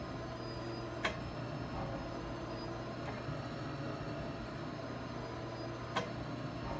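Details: Old American 160 oil well pumping unit after a high-speed gear and bearing repair gives an even low drone with only a few light ticks a couple of seconds apart and no grinding. It is left lightly tagging and runs normally.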